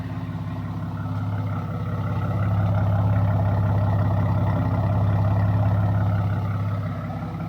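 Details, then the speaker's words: Car after Megasquirt install, first highway run: deep, steady low exhaust rumble swelling slightly with throttle, droning far too loud. "I just came back from my first run on the highway with this car and it's droning way too much way too noisy so I'm back at the muffler shop"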